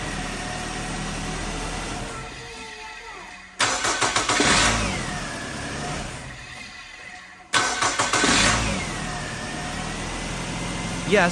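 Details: Nissan X-Trail T30 with QR25 engine after fixing hard starting and a P0335 crank sensor/circuit code, with crank and cam sensors replaced and timing chain reinstalled: starter cranks briefly, engine catches and settles into a steady, even idle; normal start.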